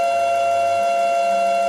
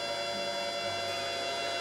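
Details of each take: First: Yaskawa CPCR-MR-152G DC servo drive running a motor not designed for it, servoing back and forth with both contactors enabled. A loud, steady high-pitched motor whine, suspected to come from the drive-motor mismatch. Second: Yaskawa CPCR-MR-152G DC servo drive powering a DC motor as the speed is raised, about 40 V DC at the motor terminals: a smooth, even run with a steady high whine and no knocks or roughness. Normal DC motor run.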